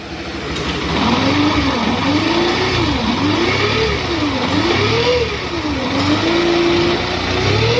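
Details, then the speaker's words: Bajaj CT 110X fuel-injected, engine previously worked on elsewhere: droning hum rising and falling with revs plus heavy whole-bike vibration, caused by a burnt, overheated magneto stator coil under the magneto cover; coil to be replaced. "दूसरी problem यह आ गई कि इस bike में ना हूं हूं की घूघ की जो आवाज आ रही है वो पैदा हो गई थी और वाइब्रेशन भी इसी की वजह से हो रहा है।"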